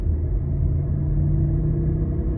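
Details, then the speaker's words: About 2022 Mitsubishi while driving: deep, steady droning growl over road noise that goes away and returns with slight steering input side to side; very loud failed wheel bearing, possibly from hitting something. "got a wheel bearing here haven't heard one this loud with uh this much change when you turn in a long time so I'm going to share this with you"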